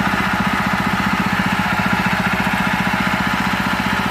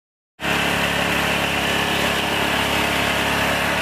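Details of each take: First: Honda GX160/200 engine after replacing the piston and the damaged governor gear: steady, even fast idle with no roar or hunting. Earlier loud running, white exhaust smoke and throttle that would not drop are fixed. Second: Honda GX160/200 engine driving a tractor, recently serviced: loud, steady high-revving drone that will not drop to idle, with white exhaust smoke. Caused by a damaged governor gear and worn piston rings/block.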